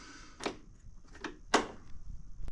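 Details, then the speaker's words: Ariens 20 hp riding mower that wouldn't start, fuel shutoff solenoid tested by plugging in and switching ignition on and off: sharp light clicks as plunger moves in and out freely; solenoid working normally. "it should come back out when you turn it off in out it shouldn't be slugged at all if it is you know you've got issues with it this one's working good you should hear that click"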